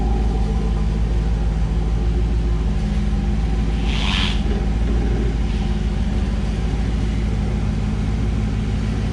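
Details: 1984 Camaro Z28 L69 HO V8, just after fitting a new exhaust with straight muffler, angle-cut tailpipes and ball flange: deep, even rumble with a steady low beat, no rattles or leaks; normal exhaust note.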